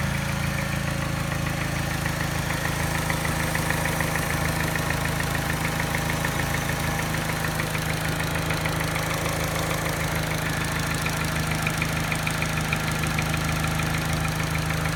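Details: Mini petrol engine at idle with a light, fairly regular tap that disappears above 1200 rpm, plus a rough, shaky idle and a slight miss not picked up by the scanner; timing chain, tensioner and piston rings already replaced, issue persists.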